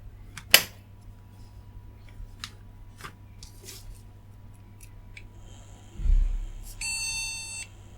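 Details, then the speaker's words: Retro ATX PC board at power-on, cooled to about 47 degrees: after clicks and handling, a single long steady POST beep indicating no RAM detected. "okay to say no Ram and the ram is connected to this"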